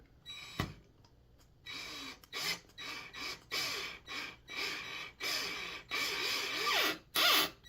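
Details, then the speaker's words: Bass guitar build, driving a Vaseline-lubed screw into a slightly undersized pilot hole in the wood: short bursts of high squeaking with sliding pitch on each turn mean too much tension on the screw. Back off and go back in. "if you hear that squeak, back off. And go back in."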